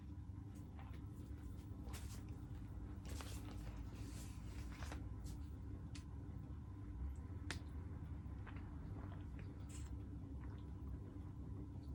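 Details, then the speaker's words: Early 1970s Wing TAT/Martec 48-inch ceiling fan, dusty, surface rust, very unbalanced, at medium-high: loud steady low motor hum, rumble and bearing noise. "it has bearing noise it has motor hum but i actually really like that it gives a lot of character and a lot of history"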